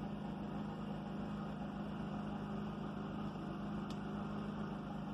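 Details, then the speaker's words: Predator 3500 inverter generator running in a garage: a low, steady, even hum with no surging or knocking, barely audible and very quiet; normal running. "You can just barely hear it running. It is very quiet."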